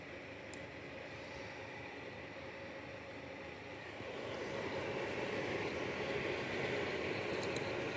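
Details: Asus RTX 3070 OC graphics card: a steady, rough grinding hiss from the cooler fan that grows a little louder halfway through; abnormal fan noise, cause suspected, not confirmed.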